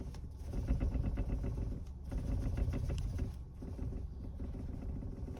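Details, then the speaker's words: Kia Rio X-Line on gravel and uneven road: dull clunks and tinny rattles in bursts over low road rumble, not felt through the steering wheel; a suspension/steering knock of unclear source. "кастрюля звенит по гравийке и по неровности в руль не отдает но откуда-то"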